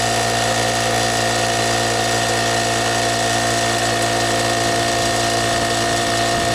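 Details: Brute 10-gallon air compressor running after its pressure switch was replaced, building pressure: steady, even motor drone with constant hum, no knocks or surging; compressor running normally.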